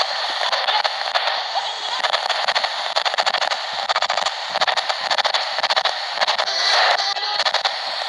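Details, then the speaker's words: ATS-20 Si4732 shortwave SSB receiver on the 11 MHz broadcast band: sharp clicks break the band hiss at each one-step frequency change, the tuning glitch muting and popping the audio. "Вот эти щелчки, конечно же, при перестройке на один шаг, они добивают. Все желание пользоваться приемником отбивает."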